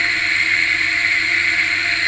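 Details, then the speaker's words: Washing machine motor on test: steady hum with a gritty, rough hiss from a bearing with dirty or dried grease; replacing the bearing advised, or adding lubricant if not too bad; bearing roughness. "Tetapi kalau masih bisa ee tidak terlalu parah, maka kita bisa tambahkan sedikit saja pelicin atau pelumas supaya ee suaranya menjadi halus sedikit."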